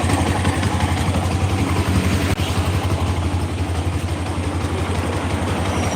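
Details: Bison motorcycle with a rough engine and a "tek tek tek" ticking. Fast, uneven clatter of roughly three ticks a second over a lumpy idle; source not yet confirmed. Teardown afterward finds dirty oil, red sealant and missing bolts.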